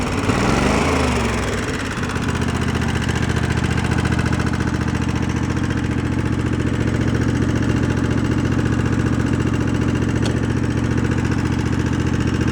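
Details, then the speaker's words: Twin-cylinder engine after idle turned down and air-fuel mix adjusted, probably previously running on one cylinder: uneven idle with light rapid ticking clatter on one side; valves clattering, loose valve lash. "with idle I turned that down got that tweaked in seems pretty good but you hear the vows clapping away on that side"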